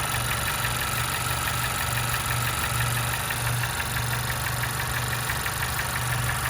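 Steady idle with a dull knock about twice a second under hiss and running noise; an engine knock of unknown origin.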